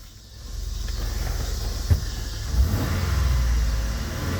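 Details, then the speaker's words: 1998 Chrysler Cirrus LXI 2.5 V6, no-start fixed by new ECM/PCM after new distributor, crank sensor and Delphi fuel pump; takes a few cranks: deep smooth note that picks up cleanly with throttle and falls back without stumbling; healthy. "1998 Chrysler Sir LXI 2.5V6 hear that motor rudder people it was the electronic control molder or the PCM"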